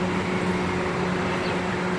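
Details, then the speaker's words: Peugeot 307 with crank-no-start complaint: cooling fan runs nonstop with ignition on, steady even whirring hum and low drone, no speed change; fan to be disconnected so it won't kill the battery. "okay so i'm gonna be trying to disconnect that fan so i can be able to do a proper diagnostics on this thing here because if the fan stays on running it's gonna it's gonna kill the battery"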